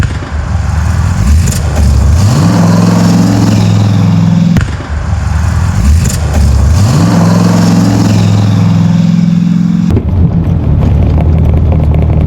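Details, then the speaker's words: 1984 Corvette 350 small block, Holley 1460 carb, 89 gas, driving pulls: engine note climbs with backfires and brief stutter between pulls; stumble on acceleration, owner suspects accelerator pump adjustment, cause unconfirmed. "Big backfires. So see, you guys hear that little stutter? I'm not sure what that's about."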